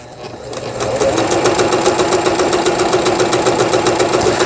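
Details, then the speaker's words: Juki HZL-K65 horizontal-hook sewing machine after repair, zigzag stitching: starts and settles into a steady, even clatter of about 220 stitches a minute with no knocks or misses. Running normally. "그다음에 이제 지그잭 바느질이죠. 지그잭 버튼을 눌러줘야 되죠."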